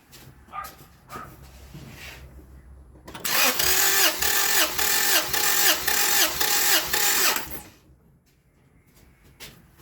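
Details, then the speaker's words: 2000 Acura Integra B-series engine with diagnosed blown head gasket, compression test on cylinder three: about four seconds of even, quick cranking pulses near two per second, no stumble; gauge reads 180 psi, healthy compression. "so 180 which is really good"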